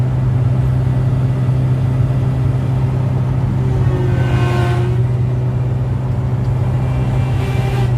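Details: Komatsu PC1250-8R excavator hydraulic pump abnormal noise; pump pressures normal with control valve neutral; noise only when boom moves (three pumps), not travel or swing: steady deep drone with thin whine swelling; cause not yet confirmed.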